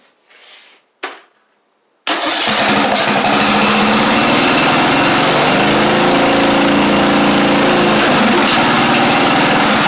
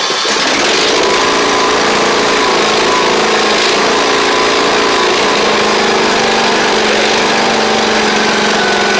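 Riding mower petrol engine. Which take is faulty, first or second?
first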